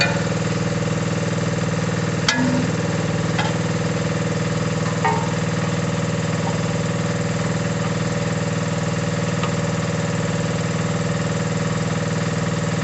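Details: Mini digger diesel, previously not starting (lazy starter motor suspected), gives a low, even chug at steady speed with no knocks, misses or surging; normal running.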